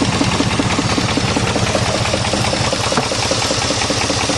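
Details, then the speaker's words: 1988 Chevy truck V8 with throttle-body injection, both sides spraying fuel, before a plug-wire cylinder test: idle lumps unevenly with an irregular stumble in the exhaust beat, a dead-cylinder miss. "now let's try test out the cylinders what is wrong with this door well see still running like [ __ ] so let's figure this"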